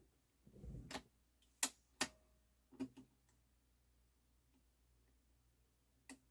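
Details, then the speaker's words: Pioneer PL-560 turntable during service, auto-return tested with platter on before refitting the top plate: light clicks and soft clunks as the tonearm lifts and swings back to rest; normal auto-return. "Ah, there we go. See how nice it went back."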